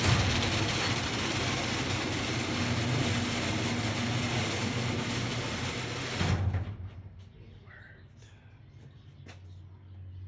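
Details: Genie garage door opener after carriage/latch replacement, which fixed earlier grinding and failure to open: steady motor drone with the drive running evenly for about six seconds, then a clean stop. Normal operation.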